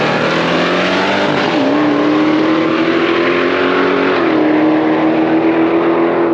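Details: Blue car on an aborted drag pass: the engine is held flat at high revs and the pitch never drops into the next gear. Shift points are commanded too late, so it sits on the rev limiter and only shifts when he lets off the gas.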